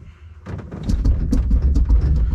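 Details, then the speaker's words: Argo ATV annual axle bearing inspection: rocking the axle gives dull, loose, uneven thumps from the outer (exterior) bearing, with the shaft and sprocket visibly moving; the worn outer bearing has play. "and so there's play in this outside bearing here"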